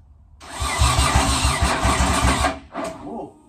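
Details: JDM Nissan 180sx with swapped RB25DET and big top-mount Garrett GTX3071R turbo, start attempt after 3.5 years and new injectors: starter churns about three to four turns per second for two seconds, never catches; cranking but not firing.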